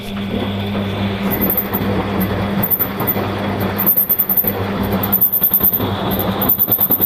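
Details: Bosch WFF 1201 washing machine after disassembly and reassembly, at end of wash with the drum full of rinse water: shrill high-pitched squeal with drum rotation over low rumble, gone after draining; owner suspects a slipping belt.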